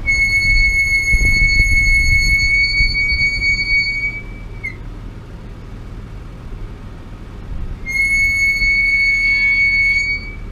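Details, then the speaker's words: 2012 Nissan Pathfinder braking to a stop: a clear, steady high-pitched squeal rings out twice over low road rumble from the disc brakes, before being treated with Permatex orange silicone brake lube. "so obviously there's an annoying squeal highlighted when you are slowing down to a stop light or doing a drive-through run"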